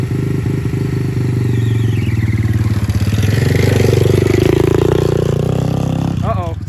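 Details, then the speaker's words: Aftermarket 125cc engine swapped into a Honda CT90 with a Chinese glass pack, first gear under way: rough clattery engine with a harsh scrape, a loose part rubbing and self-clearancing; clutch previously slipping from a spacer. "seems super sketchy makes terrible noise but uh yeah no it's self it's self clearancing"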